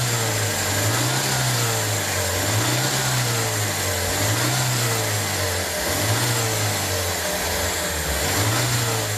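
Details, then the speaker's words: Car engine that sat unused for over two years, held at raised revs while running on carburetor cleaner fed straight into the carburetor instead of gasoline. A slow rise-and-fall surge every couple of seconds under a loud hiss: rough running. "inclusive se vocês notarem tá o carburador está acelerado e nós vamos à a acelerar através do próprio produto"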